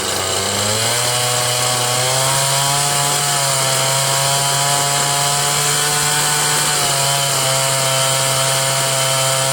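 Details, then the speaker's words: Cub Cadet Kohler Command CH13 13 hp engine after a mechanical fuel pump install: high buzzy note holding steady with slight pitch drift. It runs only on choke because the fuel lines were routed wrong. "thanks to Ken's small engines and James condoned for telling me that I messed up the fuel lines as usual I do that quite often"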